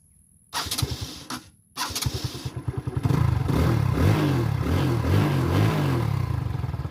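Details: TVS Victor motorcycle after fixing its failure to start without a battery. A couple of short cranks, then it catches and settles into an even, steady putter; starts and runs fine.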